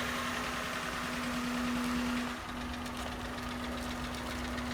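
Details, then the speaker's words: Long-parked Honda Insight project car at idle: light rapid ticking following engine vibration, from the hood panel rattling, not the engine; pressing down on the hood makes the noise go away. "Ticky Ticky Ticky yeah that's annoying but the good news is it's not coming from the engine for some reason the hood is ticking from the vibrations of the engine"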